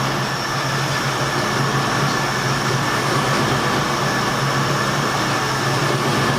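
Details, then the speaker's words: 1972 Ford F100 V8 after carburetor rebuild and new water pump: steady, even idle with no misses, knocks or hunting, timing sounds about spot on, idle speed still needing adjustment; truck still burning oil badly. "so I just have to adjust the idle on it but man it sounds good it's smooth the timing actually sounds like it's pretty much SP on"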